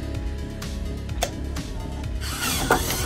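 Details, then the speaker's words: Mac Plus 800K floppy drive, formerly noisy when ejecting, after fitting a replacement gear kit: short, smooth whirr and soft click as the disk ejects, no grinding or straining; the eject gear now runs clean. "let's try to eject it let's see what happens when we eject it here oh listen how nice and smooth that is now man that worked awesome very good"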